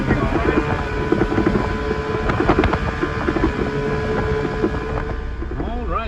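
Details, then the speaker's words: Old Evinrude 20hp two-stroke tiller outboard on an Askeladden 430 boat, under way after a prop swap (this prop also slips): steady, even buzz over wind and water, no misses or knocks, running good at almost 20 knots. "This thing is running good. Got a decent amount of power to it, almost 20 knots with this old plastic Askeladden."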